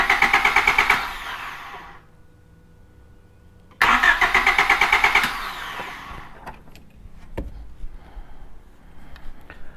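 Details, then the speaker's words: Honda Civic no-start after an oil service and spraying cleaner into the throttle body, spark tester on coil output, fuel smell present: two bursts of steady cranking that never catch; no spark from the coil. "all right so uh we got no spark coming out of the coil there so now we know that it's something electrical"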